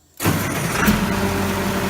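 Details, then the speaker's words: Allis-Chalmers 180 tractor, 301 diesel with about 4,100 hours, after a valve adjustment: catches immediately and settles into a smooth, even idle with little smoke; a clean, healthy start. "Starts good, runs smooth. Sounds real good. Sounds like these 301 Allis always have."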